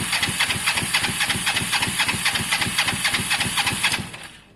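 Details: Motorcycle under rebuild (Honda SH125 or Kawasaki ER5), spark plug hand-tight: even starter cranking about four strokes a second, no firing; spark and fuel present, carb possibly clean, owner suspects caked plugs need cleaning or replacing; crank no start.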